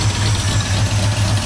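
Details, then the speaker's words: 1978 Ford Bronco, first start after sitting, lumpy idle coming off choke: rapid rhythmic puffing tick with each firing; exhaust leak at the muffler-to-exhaust-manifold joint, which tends to crack. "Well, where the muffler attaches to the exhaust Manifold. Yeah. It always did. It always will. Well, they crack, right?"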